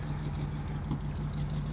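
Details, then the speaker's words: 1940 Ford Tudor hot rod idling, heard walking to the rear, dual exhaust with two glass packs: deep, even burble with steady low rumble and smooth pulses; healthy idle. "if you want to walk around the back we can hear what it sounds like as well it's got dual exhaust running two glass packs"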